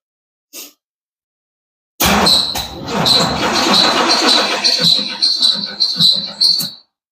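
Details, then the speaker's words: Power Tour project car, fuel pump unplugged, battery just over 12 V after charging and repeated cranking; starter drags the engine slowly and unevenly with a high whir, never fires; weak battery suspected. "You can tell we got a little bit of a weaker battery. I mean, it was a little over 12 volts, but been cranking it a few times."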